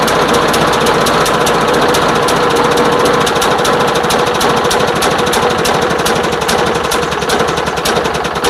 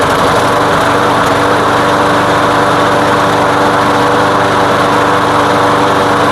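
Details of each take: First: Craftsman lawn mower, customer says won't start or run, fresh fuel, oil checked, before tune-up; starts but stumbles with uneven sputtering pulses, choked out by gasoline-soaked air filter and damaged pre-filter. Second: Craftsman lawn mower running with gasoline-soaked air filter removed; steady even high-pitched drone, no stumbles or surging, running smoothly; the air filter was the problem, not the carb.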